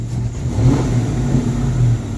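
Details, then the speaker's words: 1994 Mustang GT convertible that won't idle well, after a PCV check: a throttle blip brings a brief stutter and hesitation before it picks up. Idle wanders between 750 and 1000 rpm and is jerky, and a later spray-bottle test showed a reaction at one spot. "Got a little stutter and hesitation. Then it goes."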